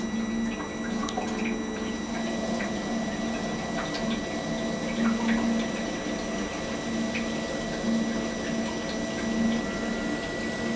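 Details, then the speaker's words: Webasto diesel heater on a boat, supplying hot water and central heating, during its firing-up process; low steady hum with faint fuel-pump ticking as it primes, smooth and even; normal start-up. "I'm going to shut up for a moment while it just goes through it firing up process because in a moment you'll start to hear it draw and perform and pump everything through and start to actually do its job of heating up the appliances on the boat"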